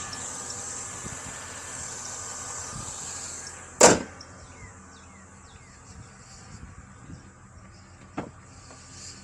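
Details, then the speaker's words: 2000–2006 Chevy Tahoe V8 at idle after a new belt tensioner was installed, thin steady high belt squeak that fades after a few seconds; new tensioner did not fix it, source unknown, owner suspects AC compressor. "That is much better. All righty. Still got a little bit of a squeak."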